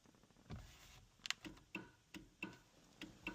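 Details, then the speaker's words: BMW Mini Cooper S R56 that failed its MOT for the horn: sharp relay clicks with each horn press but the horn stays silent; slip ring suspected, as on a previous car. "can you hear that relay clicking? I could probably work out which relay it is."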